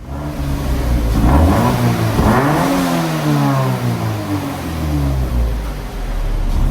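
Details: Toyota 86 just fitted with a repaired, secondhand Invidia cat-back exhaust, revved after install: a deep, clean note swells and falls with several throttle blips, with no rattles or leaks; a healthy, free-flowing exhaust.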